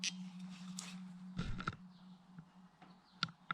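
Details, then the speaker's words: Steady low hum with a high-frequency edge resonating through copper pipes in house and shop, lasting several seconds a few times daily in daylight, then fading among clicks; cause unknown. "there's like a low frequency with a high frequency component to it vibration that comes through on any copper pipes either in my house or out here in the shop"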